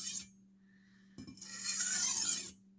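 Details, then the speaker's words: Kitchen knife on a 3000-grit whetstone after the 1000-grit stage, same number of strokes per side: a short scrape then a bright rasping stroke of about a second, even along the whole edge, normal full-length sharpening pass. "you should be able to hear the knife grinding the entire length of the blade hear more of that grinding sound as more of your blade gets onto the knife"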